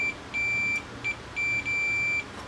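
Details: Pioneer VSX-522 receiver that died with a bang: multimeter gives sharp, high, steady continuity beeps on the two output transistors tested out of circuit, shorted every way; shorted output transistor.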